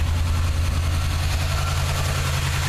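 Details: 1979 Chevy truck, 350 V8 with automatic choke: deep idle with a slightly lumpy, stumbling beat in the low rumble. Plugs are clean and unfouled and compression is sound. The idle misfire's cause is still unknown.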